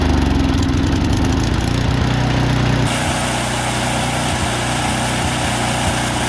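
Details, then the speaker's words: Single-cylinder snowblower with no air filter and a rough idle after sitting all summer, fixed without removing the carburetor by spraying a can into the carb intake while running: it chugs, then settles into a smoother, steadier beat with no surging. The idle is improved. "all right that idle sounds a lot better it could be a tick better but it's definitely an improvement"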